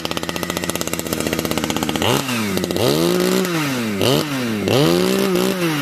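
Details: Modified Husqvarna 455 chainsaw, decked, new home-made exhaust pipe: crisp two-stroke rap at fast idle, then sharp revs climbing and dropping cleanly; strong and healthy.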